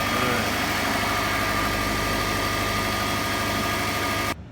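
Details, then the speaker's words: 2005 Saab 9-2X Aero, first start after the no-start was traced to air in the fuel lines from an empty tank: the engine settles into a steady, even idle with a faint whine, no stumbles or knocks. "right, guys. Well, we got it running."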